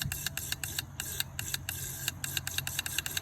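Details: Fuel injector from a 6.1 Hemi unrun for 10 years, bench-tested on a pressurized rail with a fuel pump after flushing old gas and tapping it free: crisp, even ticking about five per second over a low hum; injector pulsing and spraying normally.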